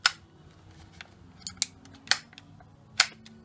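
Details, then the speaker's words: 2013 Ford Fiesta rear door latch actuator after repair, bench-tested out of the car: sharp crisp clicks at irregular intervals as the latch snaps shut and releases cleanly, no grinding or hesitation; latching properly, fault of door bouncing open fixed. "So that's it, latched in properly, and no, that one there needs to be."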